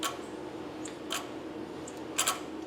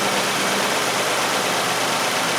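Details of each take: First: Nissan Sentra with P0400 EGR code (also P0430), engine running: a few faint irregular sharp clicks as the EGR stepper motor tries to move; EGR pipe stays cool, valve suspected stuck or plugged. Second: Nissan Sentra with P0400 EGR code, idling during EGR testing: steady, even idle with constant hiss, no misses, stumbles or surging; idling smoothly.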